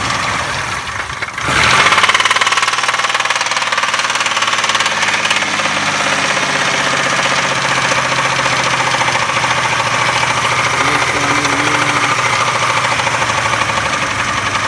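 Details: 2002 Buick Century Custom 3.1L V6 after starting: a rough idle with an uneven, fairly quick knock; the cause is unknown.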